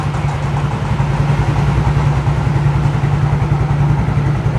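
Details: Older-model Yamaha X-Ride injection scooter brought in for stumbling then stalling with MIL code 46 (low injection-system supply voltage); smooth, even idle with steady low beat and no knocks or misses after the charging fault was dealt with, charging now above 12 V and rising.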